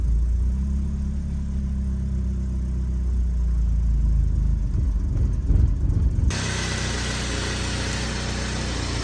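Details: BMW E36 Compact, M4x four-cylinder, about 100,085 original miles, cold idle with no throttle just after start, no check engine light; low, uneven idle that wavers and stumbles; rough idle that smooths when warm; owner suspects idle control valve, AFM tested working.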